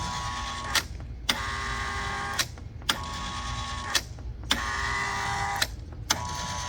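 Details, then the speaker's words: 115 V Kustodian Plus lane machine after replacing a bad relay and a failed white neutral wire splice from motor to neutral block under the PLC: short squeegee motor runs each ending in a sharp clack, repeating regularly; cycling normally, can't make it fail. "So we had a bad relay, and we had a bad white wire that from the motor to the neutral block under the PLC. This thing's running like a champ now. I can't get it to fail."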